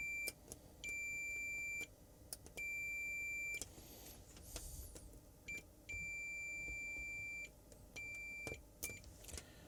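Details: Samsung 55-inch TV backlight strip connections: clear high continuity beeps, some short, some held about a second, every connection now good.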